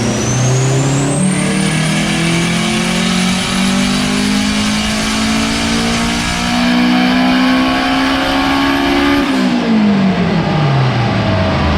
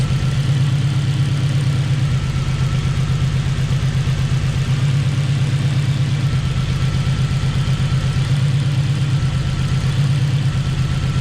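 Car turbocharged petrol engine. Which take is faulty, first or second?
second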